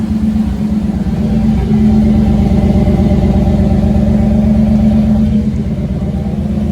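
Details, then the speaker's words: 1991 GMC truck after fuel filter replacement, started without throttle, camera near fuel pump: steady even V8 idle, smooth low rumble, no misses or hunting; purring well. "It's purring pretty good. What do you think? Think it sounds pretty good?"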